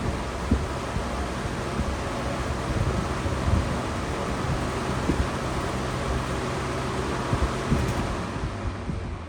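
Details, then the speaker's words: Lasko B20725 commercial box fan on low speed, compared with a McGraw-Edison: loud steady rush of air with a low hum underneath, no ticking, rubbing or wobble; fan running normally. "Yeah, I mean, this puts out pretty good air. It's quiet and everything."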